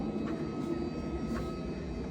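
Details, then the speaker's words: Diesel heater on a sailboat: steady, even combustion roar with no knocking or surging. Exhaust working, heat soon builds to about 70°; burner running normally. "It sounds like it's actually it's working. The exhaust down there is working."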